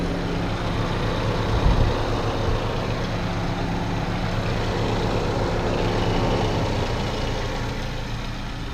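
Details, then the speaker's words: 1997 Saturn SL2 after radiator replacement following belt-tensioner failure and severe overheating: warm idle with the radiator fan on at 5/8 gauge, even whoosh with no ticks or knocks, no leaks, cooling system working normally. "It just kicked on the cooling fan at 5/8 on the gauge. It's running and no leaks."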